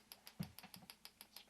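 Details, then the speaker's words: GM LS2 coil-near-plug ignition coil bench-tested with a pulse generator: crisp evenly spaced snapping about six or seven a second from the spark plug gap; healthy spark, coil working normally. "test the LS2 coil first all I need to do is turn on the pulse generator listen up you can hear the clicking of the spark plug"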